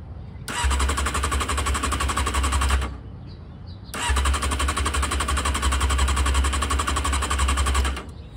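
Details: Honda CBR600F2 after carburetor removal, O-ring replacement and reinstall, carbs empty and vacuum-fed: two long bursts of fast even starter chugging without catching; normal extended cranking to draw fuel into carbs.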